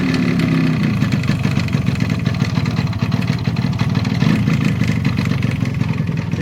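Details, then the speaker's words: 1986 Japanese Yamaha RX100 two-stroke with original block and silencer at idle: rapid beat with a dull rattling knock; connecting rod fine but piston loose in the bore, piston slap, piston replacement and reboring planned. "इसकी guys connecting अच्छी है ये गाड़ी की, लेकिन इसमें थोड़ा piston का साउंड आ रहा है। पिस्टन थोड़ा लूज़ है बोर में,"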